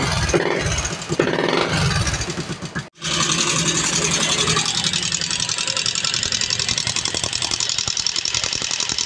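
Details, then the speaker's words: Yamaha Sniper 135 after top overhaul for coolant damage and wrong timing, fresh oil change, test run: brief stumble then fast light ticking clatter at idle; no oil reaching top end, oil pump and passages to be checked; valvetrain clatter. "wala walang [Musika] lubrication yan walang walang lubrication ng langis"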